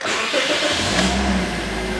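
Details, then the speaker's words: 2009 Scion with flashing engine light, no power and battery light, at about 246k miles: engine catches and settles into a smooth, even idle with no stumble, so no ignition coil testing needed. "yeah it runs smooth as butter now so now we don't have to do any testing on the coil"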